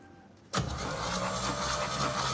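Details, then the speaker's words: 1952 flat-fender Jeep yard find on existing wiring: starter kicks in and engine cranks over steadily but never catches or fires; no spark from the ignition, troubleshooting next. "We figured out that the engine cranks over with the existing wiring, which is stunning to say the least. We don't have spark out of the ignition, and so now we're gonna troubleshoot that a little bit."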